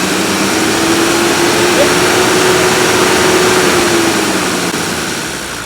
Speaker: now you can see it fired right up that's a real good sign this now smooth that runs coming off idle about 2 000